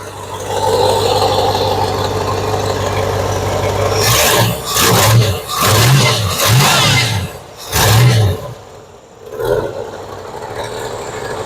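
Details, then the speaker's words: 1966 Ford Galaxie 500 V8 with exhaust manifold leaks: steady idle, several quick throttle blips, then a brief stumble as revs drop back, better than before, slight vibration noted: stumble on rev recovery. "Oh, looks like it's stumbled a little bit on the recovery-wise, but it's much better than it was."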